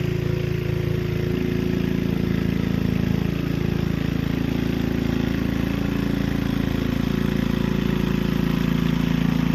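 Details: Gilson rear-tine tiller, a junkyard find from 4–5 years back, test run after cleaning dirt out of the sticky recoil. Steady, even single-cylinder chug with no misses or surges while working soil. Pulls cleanly under load. A fuel leak was noted at the tank/carburetor seam.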